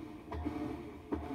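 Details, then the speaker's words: Whirlpool-style washer after shift actuator fix, tested in service diagnostic mode low agitate: quiet room, two soft even swishing strokes about 0.8 s apart; machine now agitates normally, repair successful. "and there we go you can hear hear it agitated so we've successfully fixed this machine"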